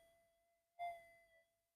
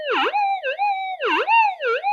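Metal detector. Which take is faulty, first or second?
second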